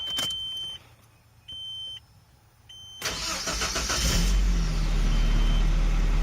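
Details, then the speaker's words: 2002 Nissan Frontier after EGR valve replacement (code P0402), with the EGR solenoid checked and emissions vacuum lines replaced: warning chimes, a short crank, then a steady idle with no belt squeal. "it doesn't doesn't squeak when you start it up I'll demonstrate that real quick"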